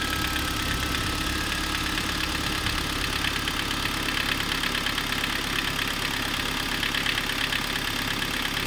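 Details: Kia Sorento 2 engine at steady idle with a busy, clattery tapping roughly two per second over the engine note; knocking at idle, source undetermined.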